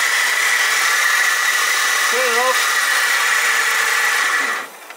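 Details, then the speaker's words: 2006 BMW 320i E90, 2.0L with ZF6HP19 six-speed automatic, running at idle: steady high whirring whine near the belt, unchanging in pitch; noisy idler pulley bearing, tensioner also probably noisy. "we've got uhit of a noisy idler bearing probably the tensioner there and then there's an idler bearing over here this one very noisy"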